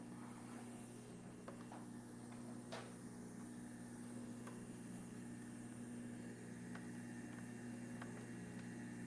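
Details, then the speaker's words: Repaired juicer motor running after a stuck safety switch was freed: low steady hum with only faint ticks, no squealing or grinding that would mean failing bearings; runs smooth and healthy. "Notice the motor is actually quite quiet. You're not hearing any squealing or grinding out of it."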